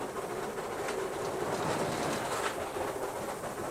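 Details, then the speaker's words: Steam locomotive climbing a 1 in 96 gradient, heard from the footplate: a brief hollow rumble like crossing a bridge rises over the rail clatter as the driving wheels slip, then she regains grip on dry rail; wheel slip. "The brief rumbling noise you're about to hear on the footplate, which sounds like crossing a bridge, is in fact the engine slipping."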